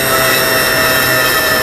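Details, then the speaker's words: Low-voltage cutoff on an eFlite 1.2M Spitfire: bench test at full throttle with readout, steady high motor whine sags and falls in pitch as controller cuts power; battery voltage drops rapidly, different adapter ruled out as cause, swapping battery next. "down hits low voltage cutoff so we know it's not the adapter so let me grab a different battery and will diagnose it from there"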